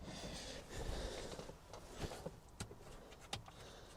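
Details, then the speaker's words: Diesel P38 Range Rover, driver's door mirror: with the switch pushed, the motor gives faint irregular clicks but the mirror doesn't move, possibly seized; lubricant sprayed behind it didn't help. "push the switch onto this side and I can actually hear the motor clicking but it doesn't seem to be moving so perhaps it's a bit seized up or something"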